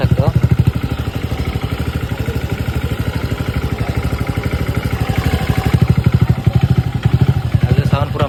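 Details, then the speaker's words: TVS Ntorq scooter engine after repair for a "kat kat" knocking noise, timing reset: small single putters at an even beat, no tapping or rattle, no extra noise, normal running. "हो गया है अभी कोई मतलब extra नॉज नहीं आ रहा ठीक"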